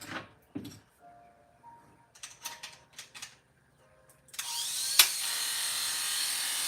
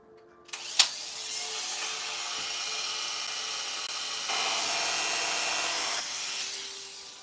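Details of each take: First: Hair clipper with a blade freshly sharpened for a barber: after a few handling clicks it starts with a harsh, high, buzzy rattle instead of a clean hum. Loose blade-drive socket; fixed by tightening with pliers. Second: Freshly sharpened barber's clipper blade after readjusting, running test: an even, high-pitched buzz holds steady with no rattle or drag; blade feels good, sounds fine and cuts like butter; normal running.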